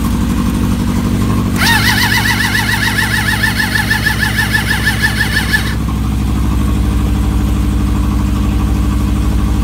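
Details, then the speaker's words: Suzuki GSX600F with a cold-start problem, battery charged from another bike: starter churns steadily about four seconds without firing; carburetors soaking wet, owner suspects too much fuel has flooded it. "unfortunately the carburetors are soaking wet and they don't want to really fire up. So I have to take a little bit more investigation what's going on."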